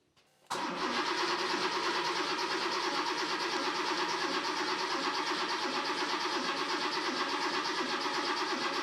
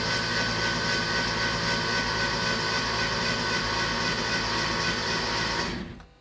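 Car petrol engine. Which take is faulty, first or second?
first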